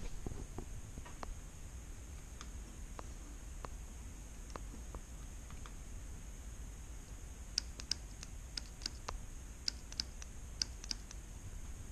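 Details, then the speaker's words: GM 4L60-E transmission shift solenoid bench-tested on a 9-volt battery: sharp single clicks at uneven intervals as the coil is energised; the solenoid works normally and passes. "so we heard this one clicking let's go ahead and test the next one perfect grab a battery perfect they both pass the 9-volt battery test"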